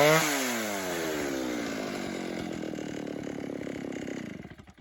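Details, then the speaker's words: 1960s Stihl 08S two-stroke chainsaw, about 60 cc, cutting firewood: screams high and thin, then revs sag and die away; high-speed jet running lean. "give this just a little bit more fuel. So just 1/8 of a turn, we're gonna make the next cut. I think it needs just a bit more fuel."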